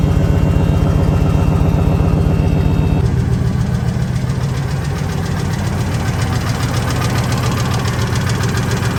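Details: Ford F250 V10 at idle: steady quick valvetrain tick through rumbling idle; owner suspects a lash adjuster/lifter or rocker arm problem, unconfirmed.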